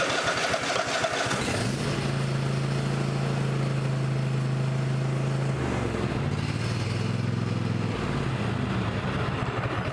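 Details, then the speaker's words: Cub Cadet XT1 mower with a Kohler 7000 series KT725 engine, after the valve lash was adjusted and a new battery fitted for hard starting and hanging on compression: started on choke, it catches quickly and idles evenly. It now starts normally. "Turn on the choke. And she's running."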